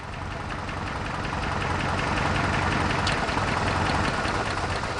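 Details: Toyota 4Runner idling with an uneven, stumbling beat, the rough lope of a misfire. It arrived expected to need a clutch job but turned out to be a simple misfire, diagnosed with a test light.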